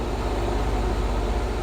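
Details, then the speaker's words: 1964 Ford F100, 302 5.0 roller-cam V8, AFR 165 heads, Summit 500 CFM carb, stock headers, new Pertronix distributor with vacuum advance, driving at light throttle: steady even low rumble, no hesitation, sputter or breaking up; very high vacuum; running healthy. "i'm getting no hesitation no sputter no breaking up hopefully you guys can hear the motor as well but i'm sitting here just light throttle you know a throttle right now no breaking up anywhere"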